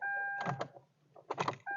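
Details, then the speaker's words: 2013 Kia Rio after days of increasingly slow starts: only dash chime and a few faint clicks on the key, starter never turns the engine; electronics power up but the battery is too weak to crank, so no-crank from a weak battery. "We're getting enough power to fire up digital and different things like that, but not enough to turn the engine. So that right there is an indication that the battery's gone."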